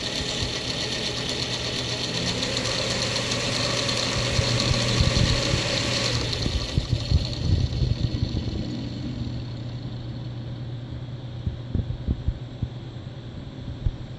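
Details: Asus STRIX GTX 970 graphics card, rear fan: low steady hum with rough, rattly grinding while spinning; not the fan touching cables, noise stops when fan is pressed down while spinning; fan grinding noise.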